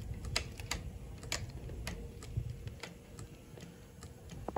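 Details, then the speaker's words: Honda CRF450RL with a no-start, listened to close by the fuel tank as the key is cycled: sharp fuel pump relay clicks but no pump whir follows. The relay gets power, but the pump is dead. "so we'll turn that on and we'll get close down here and we don't hear a single thing at all nothing"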